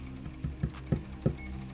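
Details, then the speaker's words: Old Sony DVD player stuck showing LOADING: four soft thumps within two seconds and no steady spin-up whir, disc never reaches speed; suspected bad spindle motor or bad motor power supply, not confirmed. "oh pretty sure we found the problem something up with the motor it's not getting enough Drive they either the motor's bad or the power supply driving the motor is bad"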